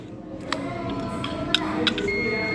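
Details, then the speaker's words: TOA speaker voice coil tested with a multimeter continuity beeper before conversion to low impedance: steady high beep shows the coil still conducts, but it is scorched and must be replaced. "Ini masih bunyi. Nah ya, tapi gosong kondisinya."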